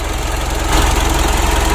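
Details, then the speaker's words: 2012 Mitsubishi Pajero Sport Dakar diesel after engine rebuild for rough running and oil burning, warming up, oil leak fixed: steady, even diesel clatter at warm idle with regular pulse, no knocks or misses; previous rough engine sound gone, normal idle. "Dan suara kasar pada mesin juga sudah hilang."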